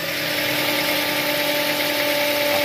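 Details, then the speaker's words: Toyota Avanza stalling while driving, battery recharged: steady high whining hum from the alternator over an even idle; not charging. Alternator whine. "maugong yung aking alternator maugong ang aking alternator"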